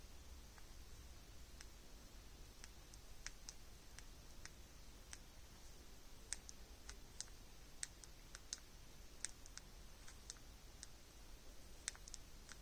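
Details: Samsung Galaxy Z Flip 6 folding screen, three months after purchase: sharp, irregular small pops and clicks, a few per second, over quiet room hiss; cause unknown, owner doubts it is normal.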